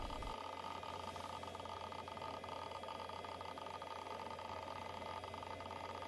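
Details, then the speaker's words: Roughly 30-year-old Quantum Fireball IDE hard drive (520 MB) running after a clean full format with no bad sectors: soft constant spindle hum, faint high whir and light seek ticks, with no clicking or grinding. Healthy. "so yeah let's again listen to the sounds of this Quantum Fireball hard drive"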